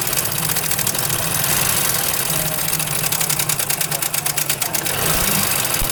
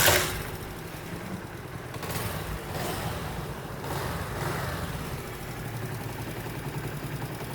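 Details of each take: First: Honda CD70 motorcycle engine at idle: a loud, fast metallic clatter rides over the idle, loudest in the top end, from a worn, slack timing chain; replacing the chain made the engine quiet and smooth. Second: Honda CD70 motorcycle after timing chain replacement and tappet adjustment: sharp start burst, then soft, even idle with no tapping or chain rattle; the severe engine noise is gone.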